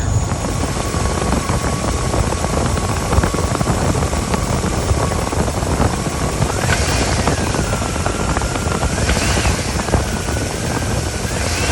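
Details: 2013 Cadillac Escalade, park brake and brake held, in drive, blipped: idle with short revs and faint thumps as it takes and releases load; phone beside the left motor mount. Clunk on take-off traced to the broken mount.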